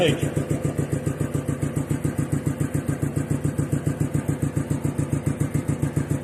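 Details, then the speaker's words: DeVilbiss 445 air compressor running: steady even thump over the motor hum from the intake; intake thumping the owner is trying to quiet. "if I got rid of that intake pumping this would be well if I got rid of the intake pumping I think the electric motor would actually be louder than the compressor itself"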